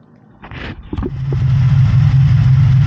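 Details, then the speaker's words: 1983 Honda VF750F Interceptor running off its tank after a petcock rebuild with an All Balls kit, no fuel leaks: after starting blips it settles into a steady, even low pulse with no misfire. A slight rattle is heard from the rear. Normal running. "Alright guys, we have it running off the tank. So far I don't see any fuel leaks. Sounds pretty good."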